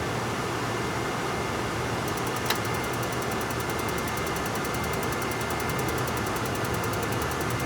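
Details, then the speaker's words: RV forced-air furnace, bench-tested out of the RV: steady blower rush, then rapid even tick-tick-tick of the spark igniter trying to ignite; normal igniter ticking, sail switch being checked for no-ignition troubleshooting. "Now, hopefully you were able to hear that, but there's that tick, tick, tick, tick, tick sound, and that is the igniter actually trying to ignite."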